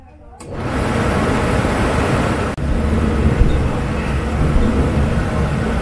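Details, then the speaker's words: Dometic RV furnace on a bench test after being pulled and reinstalled, with gas fittings leak-tested: a soft whoosh as the burner catches, then a steady, even blower rush with no rattles or popping. Warm air reaches the vent, so the heater works normally. "you can hear the burner now can't feel anything there over there on the vent can feel air starting to warm up there so we're working all right so the heater works"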